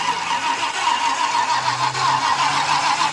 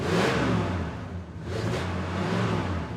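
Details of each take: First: 1966 Ford Country Sedan after an engine overhaul, carburetor bowls primed with fuel: about thirteen seconds of steady starter churn with no firing. It cranks but won't start because the distributor was found 180 degrees out. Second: 1966 Ford Country Sedan V8, just overhauled with a new timing chain and new oil, not run well in 30 years: smooth, even rev blips rise and fall cleanly through a throaty exhaust with no knocks or misses, a healthy engine.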